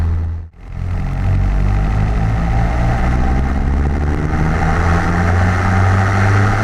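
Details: Car with a new MRP 3" aluminum MAF housing, warming up after being dialed in and the stumbling fixed. A steady, smooth low hum with an even beat and no misses: normal idle.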